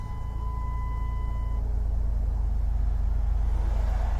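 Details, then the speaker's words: Dodge Caravan with about 125,000 miles (212,000 km); quiet, smooth low idle with an even beat and no knocks or ticks, brief door/seat-belt warning chime at start: healthy engine. "quiet runs nice doesn't it"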